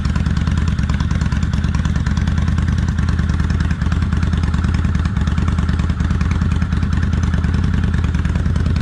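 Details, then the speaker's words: Kawasaki Vulcan 800 Classic V-twin on light choke, cold warm-up on a chilly day of about 51°F, after an oil change. Steady, loping idle at about three beats a second with an even exhaust thump; healthy. "It's sounding good, y'all. I don't know how well the microphone can pick this up, but it sounds good. Let's sit here and warm up just a little."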